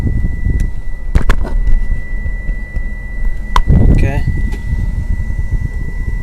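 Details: 1994 Mitsubishi Diamante V6 just after startup with new spark plugs, wires and fuel filter: uneven lumpy idle with random misfire stumbles; engine mounts also bad and it shakes.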